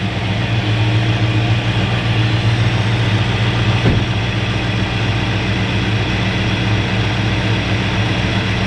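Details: Freshly installed 302 V8 in a 1969 Ford Fairlane, dwell at 28 degrees: steady, even low idle rumble with no misses, knocks or hunting; sounds good, idling smoothly.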